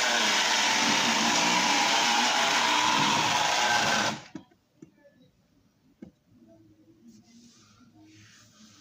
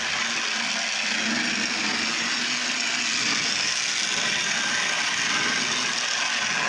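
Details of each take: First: Lionel tie-jector model train accessory restored to running: loud steady whirring grind with faint whine for about four seconds; owner suspects oiled nylon gears and plans a little grease to quiet them. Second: Lionel Tie-Jector toy train car after repair, running on brand-new track with dirty wheels and a suspected track continuity problem: thin steady high whir with light mechanical chatter as the mechanism works, no snags or stalls. Normal motor running.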